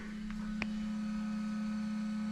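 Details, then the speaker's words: LED headlight bulb cooling fan on a GMC Yukon Denali: faint steady low hum, whisper quiet with no rattle, unlike the louder fan on the other bulb. "this fan is like whisper quiet so that's interesting um now does that mean that one doesn't have a stronger fan I don't know"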